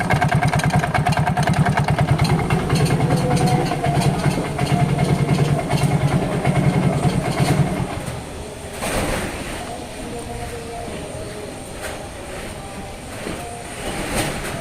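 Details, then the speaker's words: Yamaha Mio GT scooter idling before teardown, fault light blinking code 42 (speed sensor): rough, uneven scraping churn from the left-side CVT, about three pulses a second; suspected worn CVT rollers and pulley. "Oke setelah kita analisa perkiraan yang rusak itu di bagian CVT di bagian samping"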